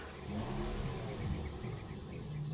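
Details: Toyota Vios with a long-cranking and low-power complaint linked to fuel pressure dropping from a leaking replaced fuel filter; after the fix the engine catches in about two seconds and runs steadily: normal quick start.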